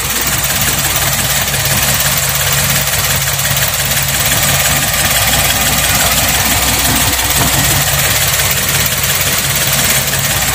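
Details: 2014 Karimun Wagon GL at idle during used-car check: even, steady hum with no ticking or clatter from the timing chain or tensioner; normal, healthy idle.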